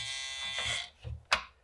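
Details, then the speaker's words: PlayStation 1 console sold as having a faulty drive, on power-up: a loud, high buzzing motor whine, then a couple of rough knocks while the console itself runs; faulty disc drive mechanism suspected. "Power on. Oh, and as you can hear, there's a very loud motor noise."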